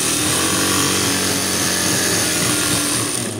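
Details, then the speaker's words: Juki high-speed sewing machine after tightening the hose to cure an internal knock: fast, even whir with a light steady clatter and no knocking. The knock is gone, the stitch is fine, and the machine runs normally. "Check natin kung wala na yung ingay. Wala na yung lumalagotok."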